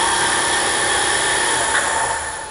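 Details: Drill-press mill spindle refitted with its original SKF roller bearings, briefly run up before a 1000 RPM cut: a smooth, steady whine with an even pitch that fades on spin-down, no grinding or knocking. Spindle bearings sound healthy and normal.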